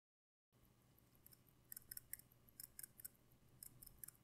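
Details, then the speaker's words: Seiko SKX automatic watch shaken by hand: quiet bright metallic clicks in three short bursts as the winding rotor rattles within normal bearing play. This is normal and should be accepted. "yeah you must hear that right but again it might annoy you but you would just have to accept it because this is normal"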